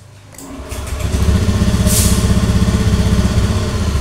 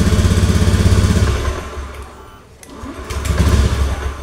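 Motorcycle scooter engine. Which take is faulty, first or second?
second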